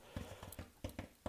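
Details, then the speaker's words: 1960s Gibson GA-5 Skylark amp speaker, cone intact with no deformities or dry rot: about seven soft dull taps on the cone, each dying out cleanly with no buzz or rattle. The cone vibrates freely, a healthy speaker. "so a trick to tell us if you tap on it you want to hear it sound like that because it's got to be able to vibrate back and forth that's how speakers work"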